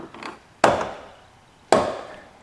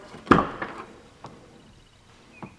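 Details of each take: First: 2005 Chevrolet Silverado 2500HD Duramax driver's door: two sharp woody snaps about a second apart as the door swings open; worn door check snapping through detents, lubing didn't help, needs replacing. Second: Pretty silent. I think I might hear it a little bit, but no big deal. It ain't snapping.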